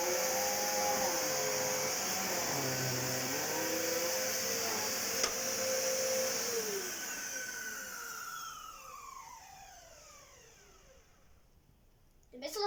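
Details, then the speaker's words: Vacuum picking up test debris gives a loud hiss and whine with warbling tones, a noise never heard before, then the motor winds down. It spat debris everywhere and powdered some items; the cause is unclear. "has never made that noise before. But it's basically spat everything everywhere I gave it."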